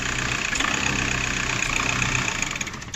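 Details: VW Golf 4 diesel idling unevenly with an irregular stumble and vibration; injectors already replaced and filter fine. The cause is the intake shutoff flap, whose vacuum tube and solenoid valve make it cut in intermittently.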